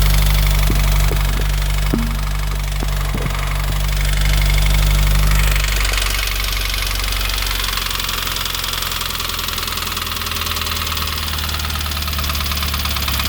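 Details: Subaru FA20DIT engine on a cold start, idling high with a fast, regular knock about three to four per second; cause unclear.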